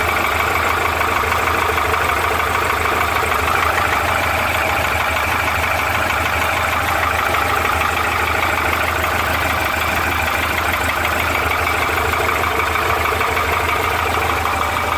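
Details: Porsche 912 air-cooled flat-four at idle; hollow, rapid clatter over a steady low rumble, described as piston slap.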